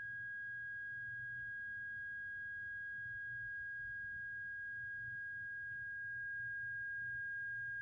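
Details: Rancilio espresso machine at morning start-up or after resting several hours: quiet, steady high-pitched hum with faint overtone; support suggested trapped air bubble escaping, flushing with lots of water to be tried; cause unconfirmed.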